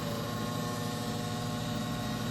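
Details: Garage unit heater running hot: steady buzzing hum with faint rattly edge; vibration noise from the side panel area, the hot bottom plate beneath the burners part of it; cause not confirmed.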